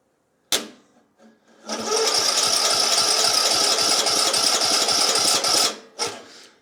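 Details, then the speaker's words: Craftsman YT 3000 riding mower (camshaft replaced a year or two earlier) cranked directly at the starter with air blocked and a shot of fuel: fast, even starter whirring with compression beat, never fires; owner suspects fuel isn't reaching through the carburetor. "yeah that should have started but I don't think my gas is getting in cuz the carburetor is on there"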